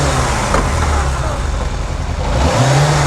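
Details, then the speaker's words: 1998 Yamaha YZF600R Thundercat after transmission repair, rear wheel off the ground: steady drone with wheel spinning, note steps cleanly through gear changes without grinding; all gears work, carburetion still needs adjusting. "got all the gears that's good i'm gonna have to mess around the carburation a little bit to get it set up right but she sounds good"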